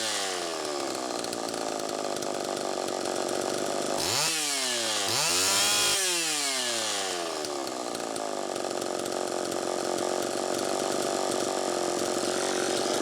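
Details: Homelite Super EZ chainsaw on test run after the carburetor was fixed and the high-speed needle reset from about four turns out to one turn; screams high, revs sweep down and climb sharply, settling to a thin high idle, running lean. Crankshaft seal suspected bad.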